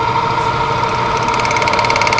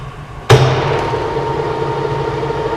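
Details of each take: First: Monarch CK12 lathe at 53 rpm spindle speed: light rapid ticking over a steady hum only with the clutch fully engaged, gone when the clutch is lifted slightly; cause unknown, may need adjustment. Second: Monarch CK12 lathe, spindle engaged around 140 up to 1000 RPM: spins up into smooth even hum with steady gear tones, no knocks or grinding; quiet machine, brake working properly.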